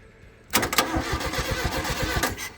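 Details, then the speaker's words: Paddock-find Mk1 Volkswagen Golf: engine catches suddenly and runs ragged with uneven thumps and sharp pops about five beats a second; rough firing with crankcase backfire. "it runs we shouldn't have I'm pretty confident we shouldn't have fuel down in there or compression"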